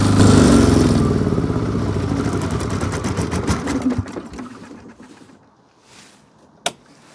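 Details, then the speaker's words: Army MEP-831A 3 kW generator, single-cylinder Yanmar L70 296cc diesel with new governor controller: pounds evenly under about 2800 W load, then with load removed eases smoothly down to low quiet idle, no hunting or surging; governor working normally. "I'm going to take off the load [Music] you can hear that it just idled right down it did exactly what its job is"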